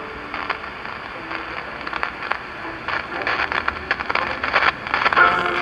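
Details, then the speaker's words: 1947 Philco 46-1226 radio-phonograph under restoration, B+ running high: irregular pops and crackles through program audio; owner suspects a paper capacitor about to short, or silver mica capacitors, cause not confirmed. "that sounds like silver mica disease except this doesn't have silver"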